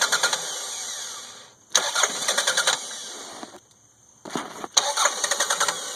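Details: 1992 Toyota Camry 4-cylinder after an engine rebuild (new rings, head gaskets, distributor, cap, rotor, plugs; 200 psi compression, fuel pressure OK). Two long cranking bursts and it won't catch. Hard starting is often worse when hot and is attributed to weak spark.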